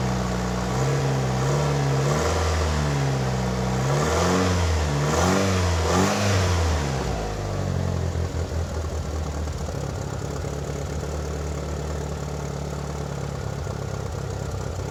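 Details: 1997 Mitsubishi Eclipse GSX started after sitting almost 5 years, exhaust now hooked up: revs rise and fall, then settle into a lumpy idle that slowly smooths. Vacuum leaks make it run rough.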